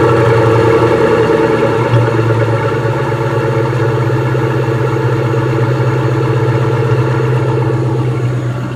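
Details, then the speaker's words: 1998 Mustang GT, about 132k miles, PI heads, FRPP shorty headers, X-pipe, Flowmaster mufflers, timing at 14°, cold start: steady, fast, even tapping over a deep V8 idle, likely from an exhaust header leak. "i think that's that's just the header leak kind of here tapping tapping"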